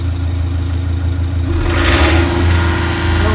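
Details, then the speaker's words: Volkswagen Polo diesel after repair: deep, even idle with a steady beat and a brief light blip, with no knocking, no misfire and smooth running, though the smoke is now slightly black instead of white. Normal diesel idle. "तो भाई जैसे पहले knocking की आवाज जो है बहुत ज्यादा आ रही थी अब इसमें नॉकिंग की आवाज नहीं आ रही है"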